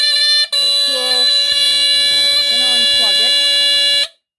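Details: Westclox smoke alarm from 1978, tested with test spray: a loud, steady high-pitched shriek holds about three and a half seconds, then cuts out cleanly; alarm working properly.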